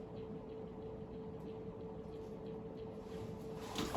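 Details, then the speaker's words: 52-inch brown Emerson Casablanca Classic Premium ceiling fan (K55 motor), second of three from a listing: steady loud mid-pitched motor hum with no bearing noise or grinding; much louder than the silent first fan, also wobbles. "this one really doesn't have any bearing noise um it had it just has a really loud hum"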